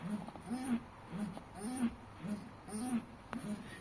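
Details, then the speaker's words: Chevrolet Celta with a stiff clutch pedal: a rising-falling creak with each pedal press from a dry clutch cable under the bonnet, fixed by lubricating the cable. "Tá sentindo ela um pouco dura e fazendo esse barulho, eu vou te ensinar como resolver isso daí."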